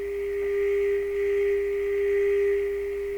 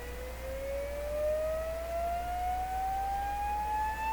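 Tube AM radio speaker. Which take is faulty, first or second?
second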